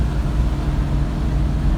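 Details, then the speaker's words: 1973 Plymouth Duster after a door rattle repair, cruising at about 2500 to 2600 rpm in gear with the door closed: steady low drone with road rumble and no buzzing or rattling from the door; quiet and tight. "I just had to show off with the door closed no rattles it doesn't rattle with the car and gear charges in gear too that's nice"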